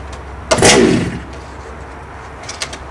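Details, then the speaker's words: HPI Baja 5T RC gas engine, primer bulb pumped, choke on: a couple of faint pulls then one sharp pop fading under a second; the engine fires once on choke, normal before switching choke to run. "As you can hear it pop, we're going to do it one more time. We're going to turn the choke off and into the run position."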